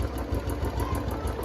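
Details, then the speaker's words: Royal Enfield Bullet 350 at idle after adding Abro oil treatment: a light, quick tick over the thumping single-cylinder idle, located on one side of the engine and not rocker noise; it persists after the additive, cause unconfirmed. "इस side से ही आवाज आ रही है और कहीं से आवाज नहीं है इस इंजन के अंदर यह देखो इसी चीज की आवाज आ रही है"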